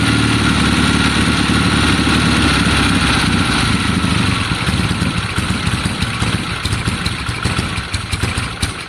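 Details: 1972 Triumph Bonneville T120 with Mikuni carbs, first start after long time, after cleaning spark plugs: parallel twin at lumpy but steady idle, firing evenly; sounds better and healthy.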